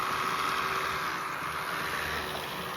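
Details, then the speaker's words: Atlas model train locomotive, all-wheel drive with metal chassis: starts right up with a soft, even, fairly quiet whirr and light hiss, no rattles or catches; running smoothly. "Starts right up. And it's not super duper loud."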